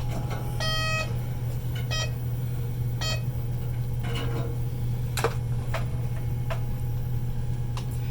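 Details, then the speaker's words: High-flow oxygen delivery device set to 50% oxygen, 37 °C and 25 L/min, switched on with the standby on/off button. A steady low hum with beeps, then ticks as it ramps up: a normal startup. "And this is the standby on-off button. You hear it kind of ramping up."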